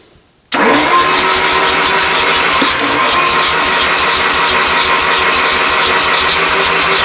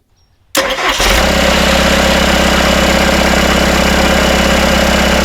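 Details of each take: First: Rebuilt Isuzu 4BD1T diesel in a Hitachi EX120-2 excavator, first start attempt: steady starter cranking about seven seconds, never firing, with oil pressure showing; cranking, no start. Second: Rebuilt Isuzu 4BD1T diesel in a Hitachi EX120-2 excavator, first start after rebuild, loose rattling bolts just tightened: it cranks, catches within a second and settles to a steady, even idle at about 1250 rpm with no rattle or knock.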